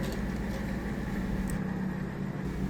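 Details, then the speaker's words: Washing machine full of water during spin cycle: quiet, steady low hum of the drain pump spinning freely, no water moving or leaving the hose; the drain pump impeller is broken, fixed by replacing the pump. "Como pueden ver, dentro del tambor de la lavadora, el nivel de agua no disminuye, aún cuando la bomba de drenaje está funcionando."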